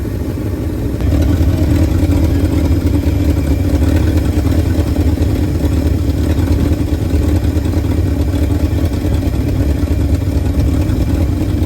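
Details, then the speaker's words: 1971 Ford F250 V8 after 9+ years sitting, running again with oil pressure up to normal: strong, even idle with steady deep burble, no knock or tick; motor running nice. "Motor's running nice."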